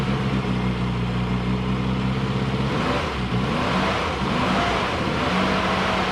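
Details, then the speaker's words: 1990 Mini ERA Turbo (262,000 miles) running after a new carb was fitted and the oil pump re-primed: steady running, then revs rise and fall under load with road and outdoor noise behind; no knocks or grinding, sounds fine. "right so uh i've still got the 2050 oil in it um everything seems to be okay"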